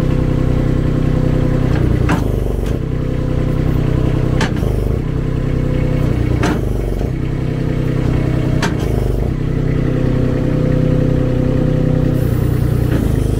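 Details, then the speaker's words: Baumalight TRL620D mini skid steer opening and closing a grapple on the auxiliary hydraulic lever, which stays in place: small engine drones and bogs down under load, with periodic clunks as the grapple bottoms out. "thing now because this lever does stay in place you'll notice you can hear the motor bogging down that's one thing right off the bat uh that I don't like"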